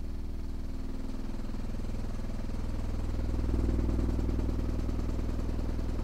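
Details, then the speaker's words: Skar SDR 18-inch dual 4-ohm subwoofer wired to 2 ohms, free-air test after cleaning out sawdust for suspected connection fault that caused popping and dropouts around 25-28 Hz at high volume: steady deep even tone, no pops or dropouts. "so now that the subwoofer is working fine free air let's get it inside its box and see how it performs"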